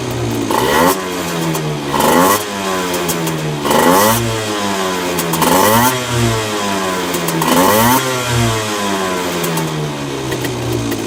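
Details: Honda NSR50 two-stroke with bored-up Daytona 62.9cc cylinder: revved in blips about every two seconds, dry metallic clatter on each rev; owner suspects crank big end or balancer bearing, unresolved after reassembly.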